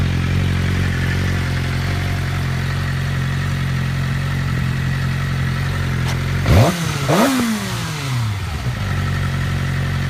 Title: Whining noise and cam chain noise gone